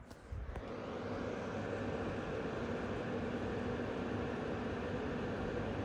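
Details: MSI Gaming X Trio RTX 5090 graphics card with manual fan tuning at about 50–60% fan speed during a benchmark; even, steady whoosh of air with no tick, grind or rattle after spin-up; normal fan noise.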